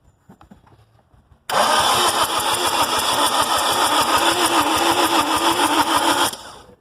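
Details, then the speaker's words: A 2005-12 Lexus IS220D with a P0405 EGR code, just erased, has its EGR valve reconnected but not mounted on the exhaust manifold. The starter cranks steadily at about 3.5 turns a second for nearly five seconds without firing. Crank, no start, cause unconfirmed. "Again. Okay. Still is not starting."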